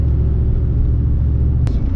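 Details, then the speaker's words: V8 SUV on test drive after tune-up and service, cold air kit installed, now on all 8 cylinders instead of 7: deep, even low rumble, no miss, stumble or knock, strong throttle response; normal running while driving. "Running on all 8s instead of 7. Yeah, and just smooth and just so much, like barely get on the throttle and it's just got so much jam."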